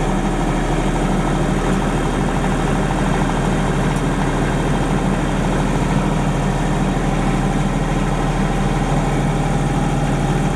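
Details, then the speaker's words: 30+ year old Denyo DCA-15SS-N diesel generator, 1.6 three-cylinder Nissan diesel (18 PS at 1500 rpm), warmed up and no load after years unused: steady, even low drone at constant speed with no misses, knocks or rattles; running normally. "okay friends that's all I guess it's running perfectly that's a really really real reliable little machine"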